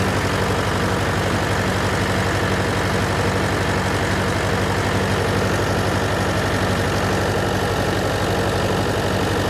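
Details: John Deere 401C diesel with cracked block, idling: uneven, lumpy beat with one cylinder missing; temperature check shows number three cold while others hot, confirming an injector problem.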